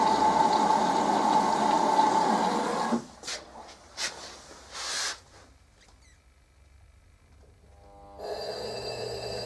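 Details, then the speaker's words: LG F1029SDR direct-drive inverter washing machine with LE/UE/CE motor errors: harsh droning hum with thin steady whine for three seconds then cutting out; motor blocked, barely turning; motor jam or component failure. "такой неприятный звук вот а вот оно то есть мотор должен крутиться а его блокирует и он по одну сторону чуть прокрутится"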